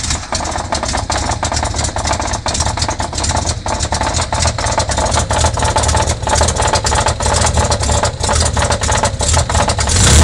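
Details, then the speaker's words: Nissan L28 engine in a Z car, due to be replaced: loud steady running with an uneven tapping of about three per second. The mystery noise's cause is unknown. "Can you identify what this sound is? We have no idea, but we're going to find out pretty soon when we tear it down."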